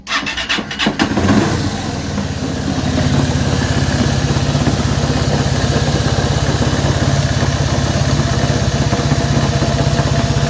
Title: RUIDO EN EL MOTOR DE LA HONDA CB190R